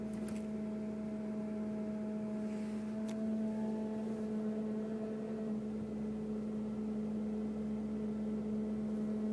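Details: 2002 Mercury Grand Marquis, 105k+ miles, at idle: a random steady low hum around 200 Hz from the engine compartment, with fainter higher tones, unrelated to bumps, speed or gear, cause unknown.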